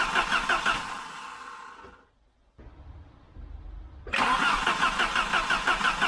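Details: 1988 Volvo 740 GL, B230F 2.3 petrol, barn find stored nearly 10 years, first start attempt: starter cranks in even pulses, stops, cranks again, never fires; no fuel delivery, fuel pump seized.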